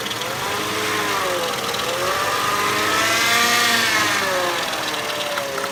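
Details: 1999 Mercedes ML 320 while driving: clear whine rising and falling with road speed over engine and tyre noise; source unknown, owner asking for ideas; whining noise while driving.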